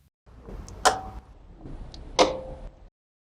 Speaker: In my car, in the engine bay, I can hear the electromagnetic clutch of the compressor clicking. That's the diagnostic system briefly engaging the clutch